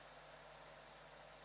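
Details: Amiga computer cooling fan, microphone on top of the Amiga: constant airy whoosh over faint low hum, steady pitch; fan simply running loud.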